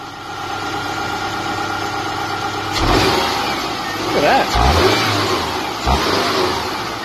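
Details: Subaru EJ boxer engine with bearing knock, recorded after a bearing oil treatment was added and left overnight: steady idle, then a few quick revs with no clear knocking.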